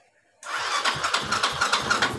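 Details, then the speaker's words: Yamaha Xeon scooter starter now cranks with a clean, even whir and no harsh grinding. It was harsh before because the starter motor was dry; it was disassembled and refitted. The no-start was simply an empty fuel tank. "sudah tidak bunyi kasar ya starternya, sudah normal ya."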